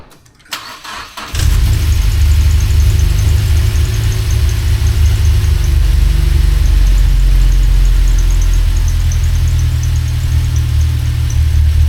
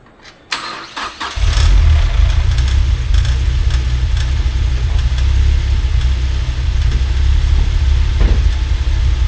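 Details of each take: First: Mazda NC Miata after another shop's 2.5 engine swap, cam engine, first run before fixes: catches and settles into a lumpy idle rougher than expected, with a faint chirping squeak on top; cause not yet found. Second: Mazda NC Miata: the engine cranks, fires and settles into a steady deep idle with no belt noise, chatter or misfire, which is normal.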